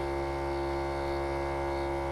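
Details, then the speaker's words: Duramax train-horn air compressor filling the tank (on at 70, off at 100 psi), 10 amp fused: steady even electric hum with buzzy edge, no knocks, running normally. "oh i hear the pump noise pump so so how much pressure does it need to actually actuate the horns why isn't it stopping what's that"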